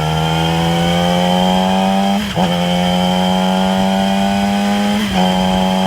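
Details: 2008 Yamaha R6 inline four with a thin, high whirring whine over a steady tone, clearly audible at 6–7k rpm cruise. It is likely present above and below that range and dips briefly at each downshift; source unknown.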